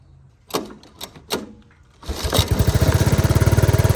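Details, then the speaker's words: 1983 Honda ATC 185S during carburetor screw adjustment out: a few cranking bursts then catches into steady thumping run about four beats a second before stalling; owner says it keeps running out of gas. "so adjust it out a little bit more yeah it just keeps running out of gas"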